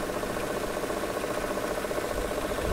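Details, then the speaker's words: 2005 Mercedes SL500 with six ABC suspension faults, engine running after the car was raised: a constant engine-bay drone with a rough, buzzing whir over the idle. The ABC hydraulic pump is starving for low fluid, and the engine was shut off to protect it. "Yeah, once the vehicle went up, I started getting that weird sound. So we need some more fluid."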